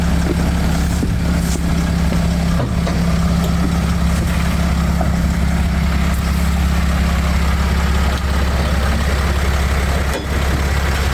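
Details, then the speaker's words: 2012 Mercedes Sprinter 519 diesel, 6-speed manual, started after the glow plug light went out: low, smooth diesel idle at low revs holding a constant beat, no knocks or misfires; a clean, healthy idle. "автомобіль завівся невеликі обороти Подивіться чисто м'яко працює"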